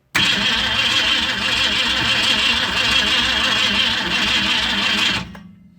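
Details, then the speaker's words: 1965 Ford Mustang fastback, 289 V8, first start attempt after sitting 44 years, cold day, quick-start sprayed: steady fast cranking about five seconds with no catch; ignition coil had no power feed, so no start. "oh you didn't hook up the coil my calls sorry Williams he forgot to feed the coil we need some power to the car"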